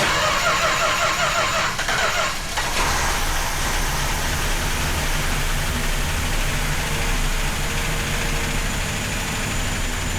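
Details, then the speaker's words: Chrysler engine with an Edelbrock carburetor, fuel line bypassed and fuel hand-fed into the bowl: cranks, catches and runs roughly a few seconds before fading; fuel supply problem suspected, not confirmed. "bowl so we bypassed the whole fuel line to see if we could get it started we did that twice okay we did that four times okay one more"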